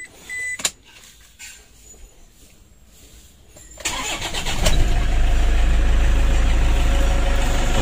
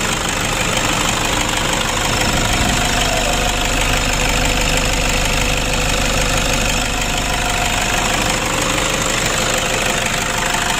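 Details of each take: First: Toyota Innova diesel after an oil and radiator check, with the breather hose vented outside because the turbo leaks: a brief crank, then it catches quickly into a steady, even idle with no stumble, ready to warm up and test drive. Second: Toyota Innova diesel at idle after valve adjustment with clearance set slightly loose: an even, light ticking of about three per second over the clatter, a little rough but acceptable, better than too tight.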